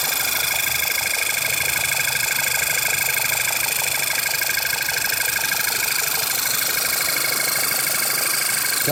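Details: 2008 VW Passat 2.0 TSI at idle: steady sharp top-end ticking about twice a second, started a few days ago; not from tensioner, water pump or new oil pump; source undetermined.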